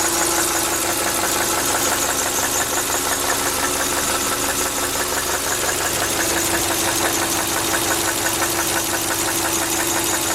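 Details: 2000 Subaru Outback Limited; rapid, fairly even internal knock about three per second, first only when cold about 12,000 km ago, now constant and driven about 5,000 km unchanged; owner suspects rod knock or piston slap.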